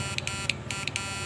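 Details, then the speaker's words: SNAPMAN 2022 Snap Inverter after repair, run on 12 V at 2 A: steady low hum with sharp, high crackling snaps; normal working buzz. "ครับดังๆแบบนี้นะถ้าเราปิดฝาก็จะดังเสียงใหญ่ขึ้นมันเทาเห็นหน้าไปนะฮะเสียงมันจะดังแรงขึ้นนะ"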